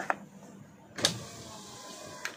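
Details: 2023 Toyota Avanza G 1.5 automatic, driver front power window: sharp single clicks about once a second over a faint motor hum as the glass goes up or down. The other windows are smooth; loose regulator rail bolts let the rail shift.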